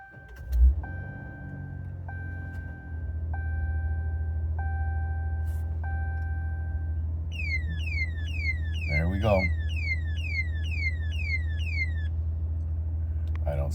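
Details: New 2025 Ram at startup: the engine settles into a low idle with five chime tones, then a run of quick falling electronic chirps. It happens at every start; no alarms show other than the seatbelt, and the cause is unknown pending a dealer check.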